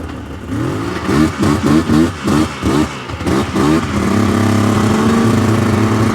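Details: 1999 Yamaha Vmax 700 triple snowmobile after plug check: uneven, stumbling revs bogging on the low end, then a steadier drone still not running right on all three cylinders; one plug darker, centre cylinder suspected, unconfirmed.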